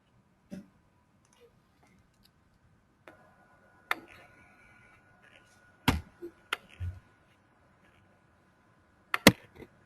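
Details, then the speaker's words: Faulty gauge stepper motor with larger knock and rub: quiet running with scattered sharp knocks every few seconds and a faint buzzing "ZZ" rub, absent in a good motor; knocks and rubs give greater wavelet coefficients. "now I'll play the of the motor with nox and now is the sound of the motor with larger knock and rub"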